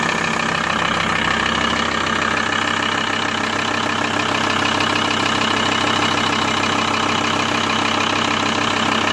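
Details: VW T4 with ACV diesel engine ticking over with its usual clatter plus an uneven repeating tap riding on top; abnormal idle noise, cause not clear.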